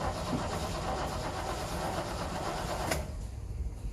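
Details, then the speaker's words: 1955 Chevy 210 with a 350 V8 and HEI distributor, sat about 1.5-2 years, fuel pump suspected bad and unhooked: starter churns sluggishly and unevenly about three seconds, never fires; slow crank, owner suspects a "juice" problem. "Now it's cranking. Yeah. Nice and cranky. Well, I think we got a juice problem."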